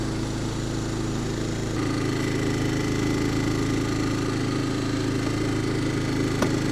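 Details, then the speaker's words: Yamaha 2000 generator, bought not running, with the low-oil alert switch wire unplugged: small single-cylinder engine holding a steady, even drone with no surging or misses; normal running. "looks like this thing runs well it makes power I mean it cost me 40 bucks really can't complain about that"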